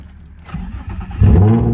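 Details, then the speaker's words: Car at auction, open exhaust: brief crank then catches at once and roars up loudly; clean first-try start. "Oh yeah. Oh yeah, started right up."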